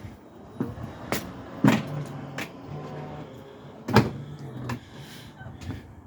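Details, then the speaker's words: Range Rover L405 lower tailgate after fitting a new wire, spring clips and actuators: short motor whirs and soft clunks as the latches release and the tailgate moves, with no error beep as before; working normally. "yep that worked fine"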